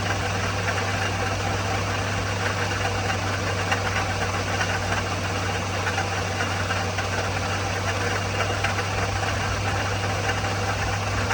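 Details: '04 Toyota Matrix XR 1ZZ-FE, 5-speed manual, 174,400 mi, burns ~0.5 qt per oil change; warm idle at operating temp with faint light rattle over engine note, noticed ~1500 mi earlier; origin unknown, needs diagnosis.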